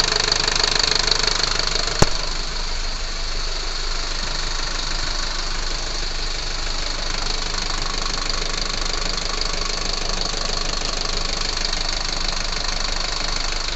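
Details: Unit 45 217 overheating (Torino MD): engine runs steadily under a loud fan roar with a fine, uneven patter of vibration, a failed fan clutch with overheating and engine vibration.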